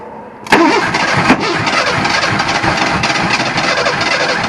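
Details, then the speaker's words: Makeshift engine running from an improvised fuel cell with a low battery: it catches with a sharp bang, pops again about a second later, then runs briefly and raggedly, backfiring on start. "it ran for a second and I heard a knock I didn't hear a knock I heard something I heard it uh backfiring"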